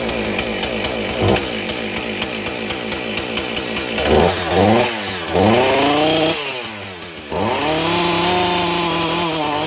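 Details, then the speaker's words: Husqvarna 450 chainsaw after teardown, rebuild and carburetor cleaning: rough idle that bogs and surges almost to stalling when revved; misfiring, suspected ignition coil, different spark plug to be tried first. "sounds like either the hip of coil isn't any good but maybe we'll try a different spark plug first"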